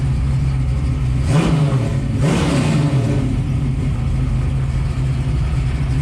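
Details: 1967 Mustang road-race car with refreshed V8, engine still a little cold, driven about 8-10 miles since: steady low idle with two quick clean throttle blips that rise and settle smoothly, no knocks or misses; responsive engine.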